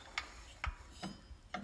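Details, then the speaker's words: Lawnmower engine turned slowly by hand: a sharp click roughly every half second as the decompression tab slides over its pin after the intake valve shuts; decompression working normally. "see it cracking back even hear the click that's that audible click of the decompression as the tap it slides over that little pin"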